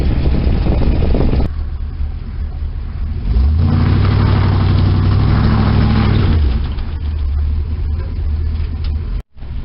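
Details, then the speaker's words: 1972 Chevy V8 in freezing weather (under 20°F), before planned partial rebuild: deep rumble climbing with revs, with a light steady tick on top; a noisy lifter. "You can definitely hear that lifter."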